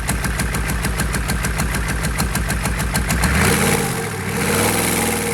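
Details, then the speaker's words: GEP/Navistar 6.5 diesel, fully rebuilt (Scat crank, bored 30 over, moly pistons and bearings), Stanadyne DB2831-4911 pump: crisp regular knock, revs climb at full throttle then level off as fuel runs out; healthy engine. "All right, guys. That was full throttle. Pretty much every time I've been raising the throttle, it's full throttle. You can tell when it starts running out of fuel, the RPM stop going up."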